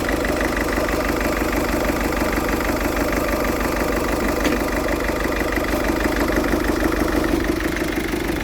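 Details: Ford Fiesta 1.6 TDCi diesel idling with a lumpy, uneven beat near three per second and a shaky undertone; rough idle, also smokes acrid when revved, cause not yet found.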